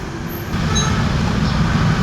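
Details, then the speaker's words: Scooter CVT: a steady low rumbling drone with a faint high squeal over it. Confirmed to come from a worn torque drive bearing, which is then replaced. "So confirm mga boss na ito yung pinaggagalingan ng ingay."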